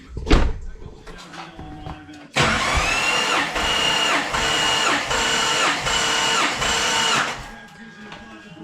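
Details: Compression test on a roughly 1000 hp engine cranked by the starter: even rhythm of about three strong pushes a second, each alike; this cylinder reads healthy, unlike bad cylinder five.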